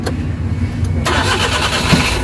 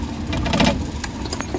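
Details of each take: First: Suzuki DA64/DA63 after replacing an oxygen sensor and ignition coil and adding engine treatment: cranks briefly, catches cleanly and settles into a smooth, even idle; the vibration with A/C on is gone. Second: Suzuki Big Eye DA64/DA63 engine vibrating with AC on, no check engine light; uneven lumpy idle with irregular thumps and shake under air-conditioning load; misfire traced to oil inside the independent ignition coils, fixed.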